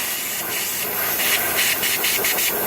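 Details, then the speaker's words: 2005 Dodge Neon SRT-4 ACR Edition under a pressure test: steady, airy high hiss of air escaping at a loose fitting far back, bubbling visibly, an exhaust leak. "the air is coming through a fitting to see it bubbling up down here and stuff"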